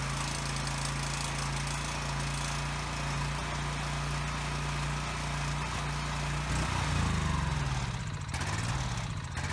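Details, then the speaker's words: Husky generator, carburetor cleaned after sitting five years with bad fuel, while adjusting governor speed: runs evenly a few seconds then sags and hunts; won't stay running even on choke, cause not yet known. "Okay, so now it won't stay running. Even on choke, it only runs for about a second."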